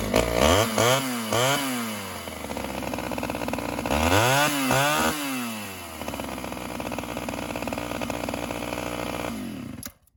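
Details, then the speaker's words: 1986 Homelite chainsaw, untouched apart from new pull cords, started on choke then half choke: blips up and back down, then an uneven, burbling idle before stopping; idle mixture a little rich, to be adjusted. "a little rich on idle we'll adjust that"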